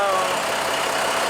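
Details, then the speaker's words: Heavy-duty truck diesel started after a DIY fuel filter change and hand-priming air out of the lines: steady, even idle with a smooth run and no knocks or misses; sounds healthy. "Now let's see if we can crank her over. Looking and sounding good."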